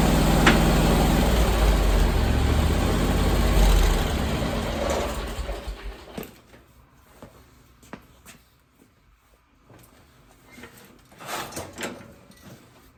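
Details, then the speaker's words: 27 hp Kawasaki zero-turn mower, first cold start of the day: fires and settles into a steady even chug for several seconds, then is shut off. Normal cold start and idle. "but here's the cold start i'm going to start it up let it run for a little bit and warm up"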